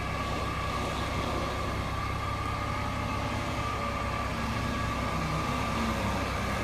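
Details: 2008 Mercedes-Benz C300 V6, stock exhaust, after a cold start: a steady high-pitched whine sits clearly above the engine's even drone from a failing alternator; a replacement alternator cured the noise.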